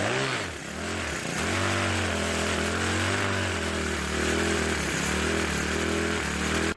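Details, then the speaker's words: Troy-Bilt 4-cycle string trimmer at wide open throttle, pitch wavering up and down about every second: surging, rough running. It also loses fuel, and oil spews from the crankcase breather with the oil level off. Owner suspects gas leaking past the carburetor into the crankcase. "the problem is it's mysteriously losing gas and it's also running very poorly let's start it up and see how it runs"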